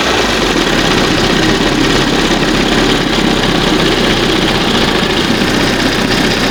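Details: 1971 Johnson 20 hp two-stroke outboard after carburetor rebuild and readjustment: steady, even buzz at fast idle, no stumbling, surging or knocking; normal fast idle, running smoothly.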